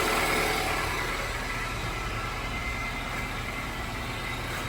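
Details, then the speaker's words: 2007-2011 Honda CR-V started right after welding up a rotted-through exhaust resonator leak, then revved. Steady, even idle with a soft, regular pulse and no puffing or hissing. Exhaust sealed, no leaks; normal idle after the repair. "All right, let's go start it up. Oh, it sounds good. Let's bring it up. How does that sound? No leaks."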